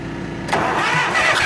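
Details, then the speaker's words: 1966–67 John Deere 400 tractor after hydraulic work, spark being verified: brief crank, then engine catches and runs on its own with a steady, even beat; it has spark and runs. "okay okay okay okay well apparently we have a spark and apparently it runs"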